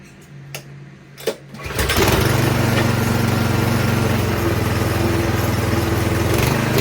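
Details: 208cc Troy-Bilt snowblower engine after cleaning the dirty pilot jet that caused surging and dieseling: a couple of clicks, then it catches and settles into a steady, even idle without hunting.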